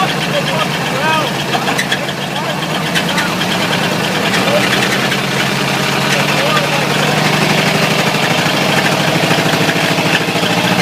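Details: Ford 351W V8 with a spun rod bearing, abused until it dies: rough idle with a heavy, somewhat uneven knock about three times a second under the exhaust; rod knock.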